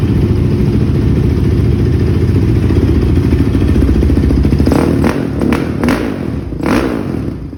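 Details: 2006 Honda TRX450R after tune-up with new stator, CDI box, wiring harness and spark plug, OEM carburetor, and valve adjustment: deep steady thumping idle with even firing, then clean throttle blips; the engine runs smoothly.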